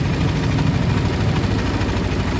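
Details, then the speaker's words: Yamaha NMAX scooter engine that had milky white oil, started after the water pump seal was replaced and the oil changed: a steady, even low rumble with no knocks, ticks or misses, idling smoothly and sounding healthy. "Oli sudah diganti dengan yang baru, coba kita starter."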